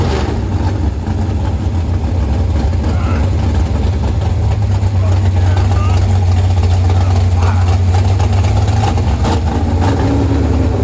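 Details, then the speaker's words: 468 big-block Chevy V8 in a Nova: deep lumpy idle with uneven beat and dropouts, skipping badly; misfire at idle, suspected plug wire backwards or firing order, not confirmed. "We have a wire backwards. No, it's I got to check the firing order. It's skipping bad."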